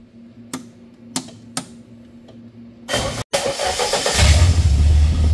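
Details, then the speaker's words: Handmade helicopter engine after oxygen sensor install and tuning: a few sharp clicks, then it catches and settles into a steady low drone with no vibration or miss; normal running. "عجب صدایی داره عاشق این صداشمون به نظرت بهترونتر کار نمی‌کنه خیلی بهتر شد مشخص ببین هیچ لرزشی ندارم"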